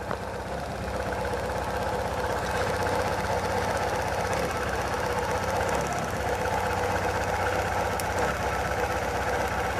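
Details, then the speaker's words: Chevrolet Chevy/Corsa/Tornado engine: rough uneven idle, strong shaking, one cylinder dropping out; visible spark jumping from worn spark plug wire to cylinder head/ground causing misfire. "con este vehículo el problema es de que tiembla mucho el motor en ocasiones se escucha un fallo de un cilindro"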